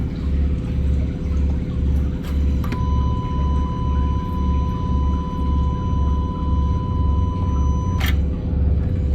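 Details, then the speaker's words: 2018 Honda Accord with P0299 turbo underboost, before turbo replacement, key on and engine off, running a scan-tool active test. A thin, high whine near 1 kHz holds several seconds, then cuts: the electric wastegate actuator moving. "Okay. We're in the active test section and we chose electric wastegate."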